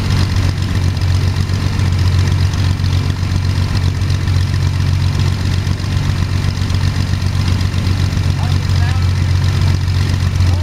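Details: First start of Jabiru 3300 six-cylinder in plans-built Sonex with Rotec TBI, 50 hours on engine, mixture full rich, oil pressure 42, charging: steady even low-pitched drone, smooth regular firing beat, no knocks or misses; sounded really good, normal idle.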